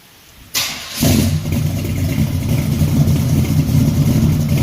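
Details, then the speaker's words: 1974 Chevrolet Caprice V8 cold start: starter cranks briefly, then catches and settles into a steady, even idle with no misfire; an earlier exhaust misfire was cured by valve adjustment during a tune-up; normal cold start and idle. "yeah y'all y'all hear that joker running good"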